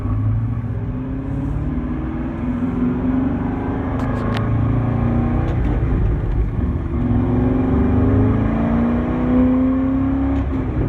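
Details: C6 car while driving in gear once warmed up: low droning noise that rises and falls with road speed. It goes away after a few minutes of idling and does not get louder when revved stationary; source unknown.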